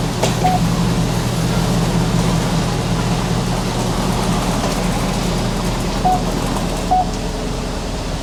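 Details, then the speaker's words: Engine running after exhaust manifold bolt repair with anti-seize and original gasket reused: even, steady note, smooth low rumble, no ticking or exhaust puffing; sounds good and sealed. "That sounds good."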